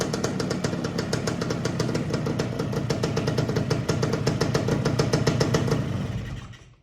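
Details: Suzuki TS185 two-stroke barn find that sat about 25 years, running on a new spark plug: crisp even popping at steady fast idle, no knocks or misses, then shuts off; runs healthy, though oil or fuel seeps, apparently near the exhaust.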